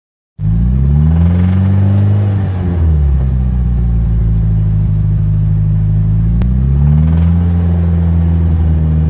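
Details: Mitsubishi Evo 8 engine revs and settles with a heavy low rumble and dull knock: rod knock from a spun bearing on cylinder #3, with lots of metal shavings found in the oil filter.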